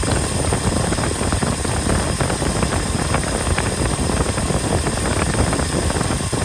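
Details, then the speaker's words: 1967 Ford F-350 Custom truck, sat for years, restarted on its old uncleaned points; steady, even low V8 rumble with no knocks or misses at a smooth idle; carburetor accelerator pump diaphragm leaking badly. "we put the old points back in there didn't even clean them up and this thing fired right up idled ran great revved up great"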